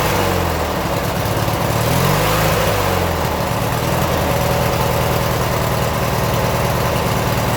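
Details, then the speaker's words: 1996 Briggs & Stratton 17hp I/C opposed twin, running on its own for the first time in over ten years with Seafoam added: a steady, even, low-pitched idle with no misses or knocks; clean normal idle. "nice got a good idle sounds good on an idle"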